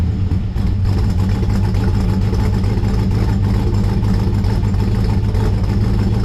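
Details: 1955 Chevrolet Bel Air four-door with Gen III LS V8 (4.8/5.3/6.0) running a Comp Stage 1 Thumpr hydraulic roller cam, changed intake and headers, not yet tuned: deep, choppy idle loping about three times a second with heavy rumble; normal lopey idle.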